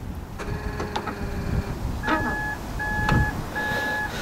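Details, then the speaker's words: 2005–2010 third-generation Honda Odyssey power sliding door: short electric buzzing bursts with clunks after each unlock attempt, door jams and won't open; worn, weak release actuator motor can't push the latch release arm. "now the problem on this van is that when you go and unlock the vehicle and then you try to actuate the door that you're gonna hear the power actuator buzz and then the door jam and not open"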